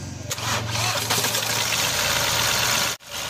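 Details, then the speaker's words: Mahindra TUV300 diesel starting after engine timing work: it catches fast and settles into a loud, steady idle clatter with no misses or knocks. It is a healthy start, to be left idling for hours while the fan is checked. "तो आप देख सकते हैं दोस्तों यह car अभी start हो गई है और इसे हमें आइडल वाली पोजीशन में ही इसे कम से कम चार से पाच घंटे तक इसे रवा करना होगा"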